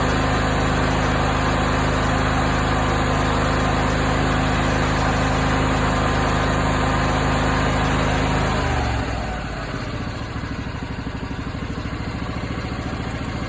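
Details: Briggs & Stratton 20HP V-twin: small twin running fast with irregular popping from the exhaust, not intake, then settling to a lower lumpy beat; popping was louder in winter; caused by incorrect valve clearance, fixed by adjusting valve lash.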